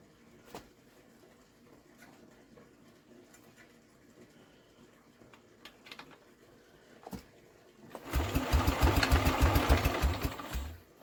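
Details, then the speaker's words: Scrap-yard Norman after carb clean, valve work and confirmed spark (one cylinder earlier had no compression): quiet handling, then about three seconds of even cranking that never fires; owner suspects plug wetting or missed starting step, cause unconfirmed. "I don't know about it we should take a plug out and see if that's got wet I'm pretty sure we've got a good spark"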